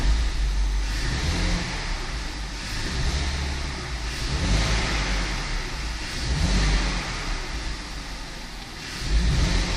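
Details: BMW 520i E60 2.2 M54 revved in repeated blips: idle steady but between 600 and 1100 rpm it stumbles and bogs unevenly; owner suspects an extra air leak (vacuum leak, ICV, DISA or a sensor), not confirmed; stored faults only stability control and climate.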